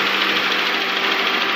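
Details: 2007 Honda Accord with the K24 engine at idle: a fast, even, light knock over a bright, hissy engine note, cause not yet pinned down; engine knocking.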